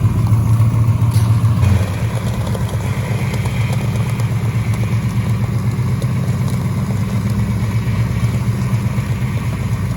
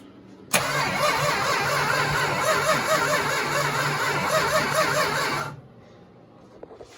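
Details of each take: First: 1969 Dodge Charger 500 barn find V8, first running after 27 years dormant, fuel system still needing work: deep, steady burble after a brief rev, even rhythm, no knocks or misses; normal idle. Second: 1969 Dodge Charger 500 barn find, dormant 27 years, new plug wires and thermostat, gravity fuel feed: starter churns steadily about five seconds with even rhythm but never catches; cranking, no start.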